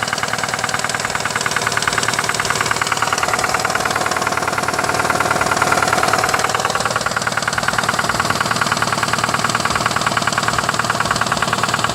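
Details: 2005 Nissan Altima 2.5 idling, not overheating but with white exhaust smoke: steady regular knock of about three beats a second over the running engine; engine knock at idle.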